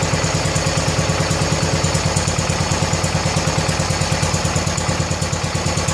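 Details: 1970 John Deere 140 H3 garden tractor single-cylinder, just after replacing a severely leaking blown head gasket: even putter about three firings a second, steady and clean, no misses or knocks; runs good and quiet, nearly out of gas.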